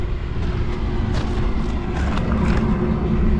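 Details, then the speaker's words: Carrier rooftop unit furnace after replacing a faulty control board and the thermostat: steady low rumble of burner and blower with no rattles or squeals; running normally. "you hear it? I'm not gonna open it up because I can tell that it's actually running right now."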